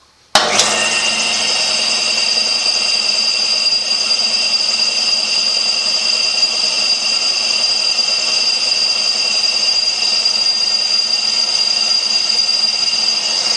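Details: Older Craftsman air compressor, model 919.174311, after check valve replacement (previously never held air more than several hours): starts and pumps at steady high-pitched hum with even pulsing, no knocking or stalling; normal healthy run, fixed.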